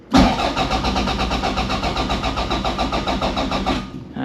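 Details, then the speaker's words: 686 bhp time-attack Toyota MR2, unstarted for a while, small battery: the starter churns evenly at about seven compressions a second for four seconds and never catches; the battery is too low, and it started after charging. "ah battery's low damn it it's got a very small battery so it runs out quite quickly"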